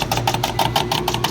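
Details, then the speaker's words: Two-stage Carrier R-410A package AC unit not cooling, 82°F return air on a 90°F+ day: rapid contactor chatter about six per second over mains hum, blamed on a faulty pressure switch; compressor then tripped on overload. Major restrictions in both refrigerant circuits. "why am I getting voltage I said switch [Music] it's that damn switch"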